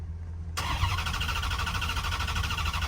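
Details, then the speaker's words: 2010 Dodge Charger being revived, cranking before fuel is added: steady even cranking chug after a quiet start, no knocks or grinding; starter spins engine over cleanly, normal cranking. "So much better. So much better. Holy crap, that sounds great."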